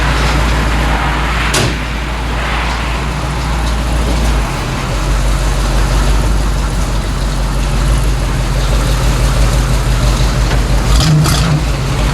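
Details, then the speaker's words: 1964 Chevy C10 with tired small-block 350, rams horn manifolds and new true dual exhaust with Thrush mufflers: smooth, deep burbling idle, not too loud, no rattles or puffs; healthy engine and exhaust. "i think they'll be real happy with that it sounds really nice it's not too loud"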